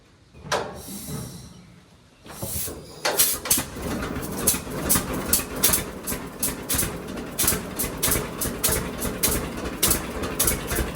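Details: John Deere D two-cylinder tractor idling on new Autolite plugs before gapping: slow pop-pop with uneven beats and occasional skipped firings. It misfires at idle because the plug gap is wrong (factory spec 0.030 in); D's never idle perfectly.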